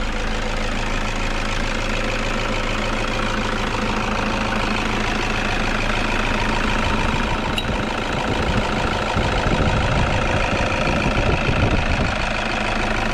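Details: Toyota Vigo pickup at idle: uneven chatter and rumble from engine front; failed alternator one-way clutch pulley freewheeling, causing no battery charging and a warning light, fixed by replacing the pulley.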